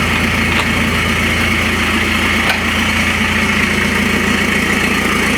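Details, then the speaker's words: Citroën C5 diesel with the pollution light on, where the owner suspects a clogged DPF or catalyst, idling with the entire exhaust removed: a loud, raw idle with a steady low drone and a rasping edge. "Il n'y avait pas de bruit. Et là quand j'ai retiré l'échappement intégral, il y a ce bruit"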